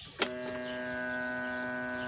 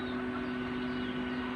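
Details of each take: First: Electric fan that won't spin, switched on: steady electrical hum in three bursts but never spins up; winding not broken, suspected tight or seized motor shaft. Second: Electric fan that would not spin and only hummed, tested after the repair on speeds 1-3: smooth, even hum with a steady mid-pitched tone and no grinding or rubbing.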